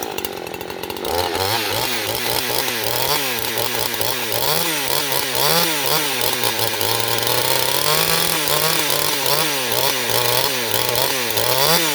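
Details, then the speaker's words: Neotec NH843 chainsaw (Husqvarna 543XP clone), new out of the box, carb only slightly adjusted: at full throttle the scream surges up and down several times a second, hunting; owner suspects carb needs adjusting. "i'm not smooth on eye on on throttle there guys i don't know if you could hear it but that's not me doing that that's the saw doing that because i'm being smooth with my my grip again i gotta play with that carb a little bit"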